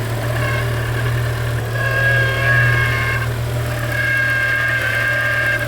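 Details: BMW E60 M5 with S85 V10 idling in the cold: wavering high chirping whir riding over the idle, coming and going; the owner thinks it is the power steering pump.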